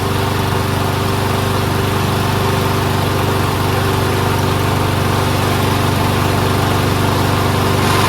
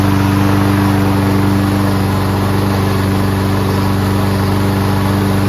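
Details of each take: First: Toro Recycler Personal Pace rear self-propelled auto-choke mower with Chinese Loncin engine, first run after repairs and cleaning: small single-cylinder chugging at an even but slow, lazy idle; sounds good but idle RPM set too low, wants adjusting up. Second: Toro Recycler Personal Pace rear self-propelled mower with Chinese Loncin engine and auto choke, manually choked after repairs and being on its side several times. Started first pull with no smoke, running steady at about 160 pulses a minute; choke stuck open.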